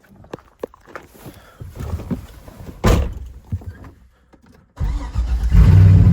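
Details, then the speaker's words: C6 Corvette V8 after exhaust rework replacing open-header dumping, first start: cranks, catches and settles into firm even idle, no exhaust puffing or ticking; much quieter than before. "Oh my god, that is so much quieter. I could live with that. That's so much better."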